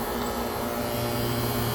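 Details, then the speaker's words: Fieldpiece vacuum pump on an AC system with a simulated micro-fine leak at the compressor shaft seal: steady drone turns hollow and airy with constant hiss; leak that would not show under nitrogen or refrigerant pressure. "I'm going to represent a little micro fine leak in the shaft sealed very seat compressor right now hear the difference in and that little leak would not make itself known Under Pressure nitrogen or refrigerant"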